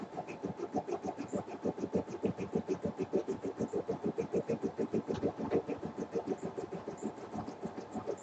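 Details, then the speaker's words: 4x4 home embroidery machine stitching a dense design on a very thick towel with 40-weight bobbin thread: steady stitching thumps about three per second with sharp pops, showing the design is too dense. "i don't know if you can hear it popping over there but your machine shouldn't do that that means whatever design you're putting on there is a little too dense"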